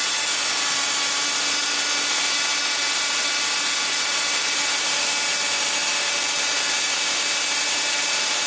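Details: 555-timer ignition coil driver/tester on a 7 Ah sealed lead-acid battery with a 333 (0.033 µF) capacitor: a continuous high hissing spark buzz at about 1.3–1.4 kHz, with the gap initially too far apart; normal coil spark.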